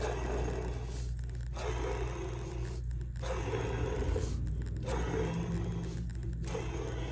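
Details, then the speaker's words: Gas golf cart starter that won't turn over, being rebuilt: bearing spun by hand gives rough gritty scraping in repeated strokes. The bearing is shot and must be replaced. "you hear this? All right, that means the bearing shot."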